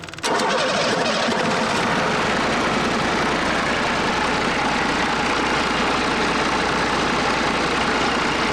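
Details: DT408 NGD diesel (P7100 pump, to be rebuilt as DT466) fired up and idling, no knocking: steady clatter with a soft, uneven pulse; number one cylinder firing weaker than the other five, a lazy cylinder, cause not determined before teardown.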